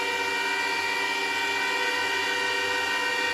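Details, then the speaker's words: ASIC crypto miner with power supply fans running in attic: loud steady fan roar with several fixed high whining tones, no surges or rattles; miner and supply fans running normally, showing typical volume and frequencies. "so if you think you want one of these and you think you know where you want to put it just know that it's louder than you think oh there's a power supply fans kicking on so that's about what you're getting as far as volume and frequencies"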